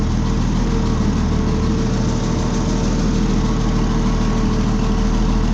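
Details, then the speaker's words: Oliver tractor pulled out of storage to move hay tools; after squeezing it through a tight gap, engine idles with a deep, even putter and steady low beat, nothing rattling or missing, "purring like a kitten" — normal idle. "Oh no. Look at that. Just missed. But that's all it's got to do. Got purring like a kitten."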